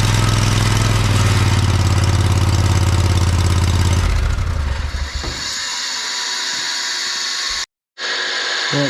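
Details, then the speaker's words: John Deere 317 lawn tractor revived after years sitting: steady low engine drone cuts out, then a fading whir as the unloaded PTO clutch pulley free-spins after shutdown; normal and harmless. "PTO clutch free spins when you shut it off the end that there's nothing hooked to it that noise was kind of scared me when I first shut it off I didn't know what was going on that's all it was that pulley spinning"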